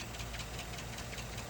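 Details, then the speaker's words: GM 5.3L/6.2L AFM V8 (2007–2014 Chevy/GMC) idling with a sharp, even tick about five per second and oil pressure slightly above a quarter; lifter tapping the camshaft or collapsing, with low compression confirming internal damage. "The ticking continues. That's the lifter tapping against the cam shaft or worse collapsing."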